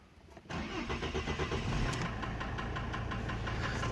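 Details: Mercedes W210 2.7 CDI diesel: starts and settles into idle with a sharp, regular knock about three per second over the clatter; hydraulic lifters and injectors already replaced, knock remains; warms up normally, cause unknown.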